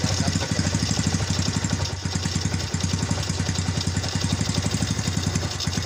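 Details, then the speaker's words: Yamaha Vega motorcycle with a clutch that slips on climbs and jumps: loud, rapid, uneven "klatak klotok" clatter over the idle; suspected clutch-side cause, not yet confirmed before teardown. "Mari kita bongkar motor ini suaranya rame banget ya jadi motor ini suaranya Klatak Klotok Klatak Klotok bisalah suka ngeplos selip ditanjakan juga suka loncat-loncat"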